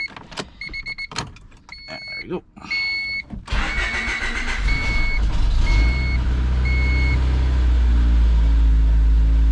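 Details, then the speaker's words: High-mileage 1992 Honda Accord CB9 wagon, which had not been running on all four cylinders, coolant topped up, heat cycle before an oil drain; after clicks and handling the engine fires into an even, steady idle with a chime beeping. Normal idle. "listen to that baby purr now lights are on or anything"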